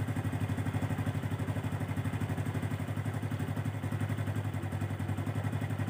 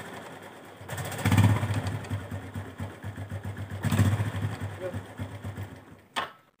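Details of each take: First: Honda Revo Absolute 110 after clutch repair (clutch dampers and clutch shoes checked) and oil refill. Steady single-cylinder idle thumping about four times a second; the previous clutch-area rattle is gone. Normal idle. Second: Honda Revo Absolute 110 motorcycle: engine catches and idles with a loose, uneven kletek rattle under the beat; clutch clatter from centrifugal clutch shoes opening too far and striking the housing, clutch rubbers also suspected.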